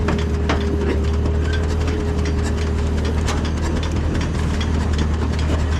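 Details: Allis Chalmers tractor, believed late-1940s WC, possibly 6-volt positive-ground system, first run after roughly 15–20+ years sitting: low, steady idle throb with scattered light clicks, no knocking or misfire; normal idle.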